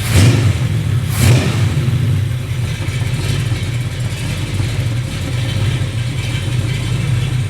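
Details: Rebuilt 366 cubic inch big block Chevy running on an engine test stand, out of the car: deep, even rumble with smooth steady beat, no knocks or ticks; engine running healthy.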